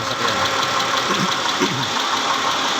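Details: 2010 Mitsubishi Pajero 6G74 V6 at idle: rough, uneven knocking through the idle; engine knock, cause needing further checks.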